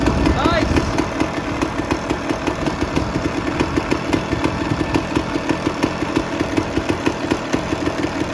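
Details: 2001 Honda CR250 two-stroke after clutch basket replacement, idling on temporary 10W30 oil to flush sand and metal particles: crisp, even idle popping about five times a second, no knocks or rattles; normal idle.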